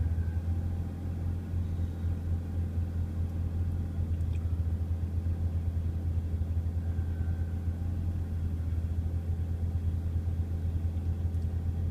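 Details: BMW E36 M3, cold start: deep idle rumble that bounces below 500 rpm, dips further when revved and nearly stalls. Camshaft position sensor and valve cover gasket recently replaced, PCV valve replacement pending; owner suspects a vacuum leak.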